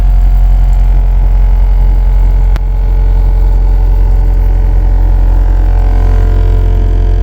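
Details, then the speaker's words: Honda Civic EJ9 with a D15B VTEC swap, fitted with eBay billet lower engine mounts to replace worn mounts that caused throttle jerkiness. At idle a heavy, loud low drone fills the cabin, the wing mirror blurs and panels rattle: excessive vibration through solid mounts. "I cannot see out of my wing mirror because it's vibrating that much. My panels are rattling. Yeah. So needless to say, these things are horrendous."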